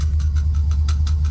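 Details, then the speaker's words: 1978 Corvette V8 idling after a mechanical restoration: a deep idle with a light rattle of about six taps per second from a loose side pipe. "hear that and I got a uh side pipe over there rattling a little bit it's all right that's easy stuff ain't no big deal"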